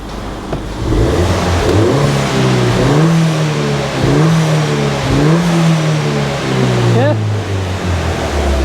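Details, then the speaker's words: Ford Fiesta ST at operating temperature, water temp correct, engine revving: blips up and settles back cleanly, smooth rise and fall with no knocks or rattles; normal revving when warm. "so we are up to temp everything is spot on the engine sounds really really good really good"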